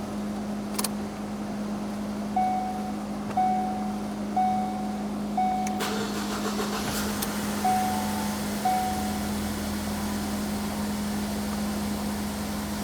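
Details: 2016 Ford Focus SE 2.0L automatic after new high pressure fuel pump: several short electric buzzes about a second apart as the in-tank pump primes with key cycling, then engine cranks, catches and runs smooth and even.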